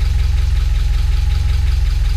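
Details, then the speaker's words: Spec Miata engine, possibly a 1.6 with 1.8 parts: a short heavy idle with uneven low thumps that won't settle; suspected wrong spark or firing order, ignition timing out, with reversed fuel lines also possible. "We got the wrong spark order or something."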